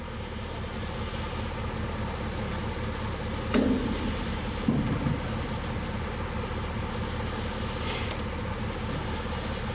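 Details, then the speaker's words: 1962 Dodge 100, first start attempt in 25 years, jumper cables, fuel poured in carburetor bowl, low compression suspected: steady cranking with a couple of sharp pops but never catches; cranks but won't start. "well, she's definitely trying. Sometimes you just want to be kind of patient with them so you don't burn the starter up."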